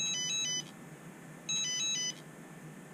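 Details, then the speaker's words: Turnigy Evolution transmitter buzzer after haptic mod with ribbon cable attached: clean high double-beep bursts about every 1.5 seconds, slightly louder than before; buzzer working normally. "I'm going to turn it on again to see if it's any louder. Yeah, it actually is a little bit louder now."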